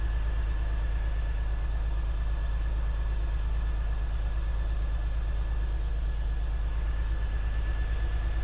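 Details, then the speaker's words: BMW E46 330Ci Clubsport, M54 engine, off the road 7 years, idling after the damaged intake boot was replaced: deep, loping idle with a regular stumble about 105 beats a minute; the misfire remains. "Nope. Still fucked. So what I'm now gonna do is just go through a process of elimination and try and work out which cylinder has the misfire."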